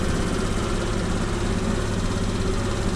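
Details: 2013 Kymco Like 200i scooter after reinstalling the fuel pump to fix a no-start: small engine settles into a steady, unbroken idle with a consistent buzz and no stumbling; running normally.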